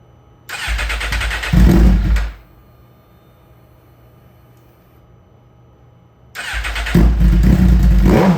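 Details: Wrecked GSXR1000R being rebuilt after injector unclogging, new spark plugs and ECU flash, with a suspected fuel-related issue: fires quickly, revs cleanly, drops quiet, restarts and pulls up smoothly; healthy start and throttle response.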